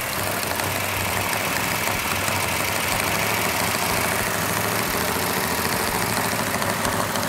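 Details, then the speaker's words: Freshly built 1970 Plymouth Cuda 440 Six Pack with big camshaft, initial startup with rpm held up for cam break-in: loud, steady fast idle with busy rattly valvetrain over exhaust roar; normal for a new engine. "got a little bit noisy valve train which is normal on a new engine we're going to hold the rpm up so the can can break in"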